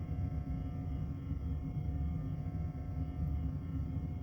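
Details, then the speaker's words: 1981 Stern Viper pinball, first power-up after installing boards, gives a constant low mains-type hum and buzz that never changes. Unplugging the turret did not stop it. The noise is traced to a faulty speaker. "Wait a minute. I hear a buzzing. And I don't know that that is a good thing."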